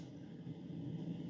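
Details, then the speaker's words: 2025 Alliance Delta 226ML travel trailer, 27 ft: ceiling AC vent over the bed, microphone standing underneath with the vent open. Steady, even low rumble of moving air, no rattles or squeals; noticeably noisy, much quieter when closed. Normal airflow. "it's also strange to me because it is a little bit noisy if I stand underneath it I don't know how much you can hear how noisy that is but when I close this this is where the Air's flowing"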